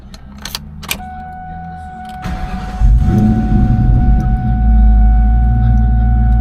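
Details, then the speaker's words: 2004 Mustang GT V8, hot restart after replacing the EVAP canister purge valve, which had caused rough idle and stalling on hot starts, especially after refuelling: fires at once into a steady idle without bogging. Normal hot restart. "I'll go ahead and try to restart it. So far so good. Didn't bog down at all."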